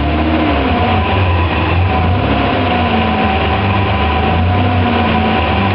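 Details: BMW E34 535i: loud drivetrain rumble with a wavering whine that drifts down in pitch; gearbox suspected, cause uncertain.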